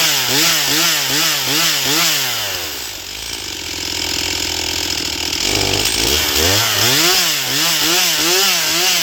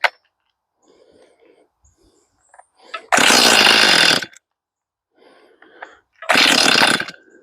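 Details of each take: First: Stihl MS241 C chainsaw with computer-controlled carb, after Seafoam and air filter refit: revs crisply up and down, then holds a clean strong full-throttle scream; normal high-speed running, though getting it started remains the problem. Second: Stihl MS241 C chainsaw with computer-controlled carb, choke-only start, freshly fueled with empty carb: two short raspy one-second revving bursts that cut out; fires but won't keep running, starts then stalls; Seafoam to be run through carb, cause unconfirmed.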